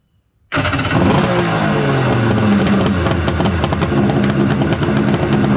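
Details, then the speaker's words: Kawasaki 1100 triple engine starting with a SeaRat e-box (CDI) swapped in from a mini jet boat, a test of whether the e-box is good. It catches instantly and runs with a loud, even buzz, no misses: the e-box works, so the boat's fault is suspected in the front-cover stator/flywheel. "so if this e-box fires up and works here then i can confirm that whatever is wrong on the jet boat is in the front engine cover stator section flywheel"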